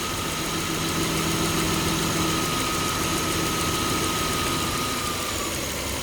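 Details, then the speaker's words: 2003 Toyota Camry V6 idling after DIY alternator belt replacement, AC on and fans running: steady idle with faint whine as the compressor cycles; idle-up circuit raises RPM when the compressor engages; no belt squeal. "You'll also notice that they put a idle up circuit in, so when the AC compressor engages, it speeds the RPM up. Because when it shuts it, you'll hear the engine"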